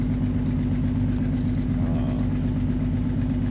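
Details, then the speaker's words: 2009 Honda Odyssey V6 at idle, check engine light blinking, scanning shows a misfire; low idle with an uneven exhaust pulse, one cylinder missing. Hoping it's not compression; spark plugs replaced and oil leak fixed to cure it. "y mi gente con esta Honda Odyssey a ver qué año es 2009 estoy escaneando ahora mismo tiene un misfire"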